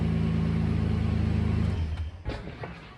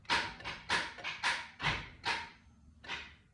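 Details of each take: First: 1992 Toyota Land Cruiser starting normally after starter replacement, wires checked and cleaned, battery charged, following earlier intermittent clicking no-starts: steady low engine pulse about four beats a second, then cut off with light clicks; started about 15 times. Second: 1992 Toyota Land Cruiser: about six sharp starter clacks at uneven intervals with no cranking, even on a new starter. The old starter was tested, wires were checked and cleaned, and the battery was charged. The owner suspects a bad terminal or the ignition signal wire.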